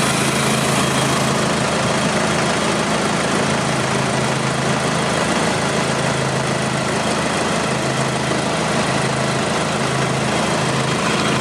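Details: 2009 Nissan Navara 4-door pickup, 2.5 diesel, 6-speed manual, right after starting: the diesel settles into an even clatter at steady speed with no stumbles or knocks; the idle sounds healthy.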